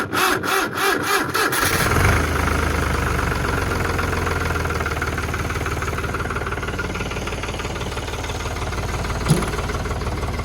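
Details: Diesel tractor in winter that runs well all day but won't start first try in the morning: about two seconds of slow cranking, then it catches and idles, after the battery was charged from solar. Owner wonders whether the dynamo isn't charging; cause unclear.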